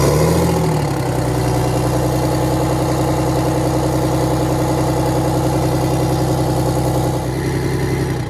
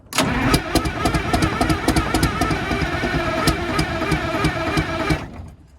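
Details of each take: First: Detroit Diesel 6V92 bus engine at idle after a mechanic's check of valves and rack: a steady, even two-stroke diesel drone with no knocks or misses. Judged better than average; no adjustment needed. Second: Detroit Diesel 6V92 bus engine, cold start: steady fast cranking with occasional sharper firing pulses as one cylinder starts catching. Not yet running.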